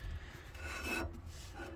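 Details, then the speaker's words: Salisbury axle pinion bearing crushed by overtightening, turned by hand with a dry, gritty rasp. Rough pinion bearing; the axle is being swapped for another standard Salisbury. "I was distracted by a phone call of a mate in need of help, and well, I over tightened it, so it's my fault, not the vehicle's fault. That's my fault. I've crashed the bearing, and you might hear it."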